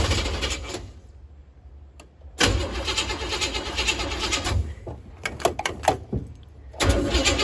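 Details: 468 big-block Chevy V8 in a Nova, after a timing correction, throttle held partly open: catches and fires up, uneven throttle bursts with short dips, then pulls strong; normal running.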